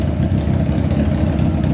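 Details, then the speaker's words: Honda CBR600-engined go-kart, carburetors, all cylinders running: smooth steady four-cylinder idle sitting noticeably fast, never settling; idle adjustment suspected set too high, not confirmed. "i wonder why the idle's so high probably because i wonder if that's adjusted too high right there"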